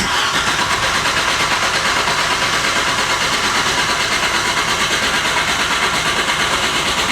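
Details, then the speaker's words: VW Corrado G60 on a jump-start battery with a weakening battery: strong, even cranking at about three beats a second but it never fires, and no fuel pump is heard; crank no start, owner suspects the fuel pump. "So, it cranks 100% cranks. That's me battery going out. But I don't know. I can't hear. I can't hear that fuel pump. So, I'm going to guess that is where our problems lie."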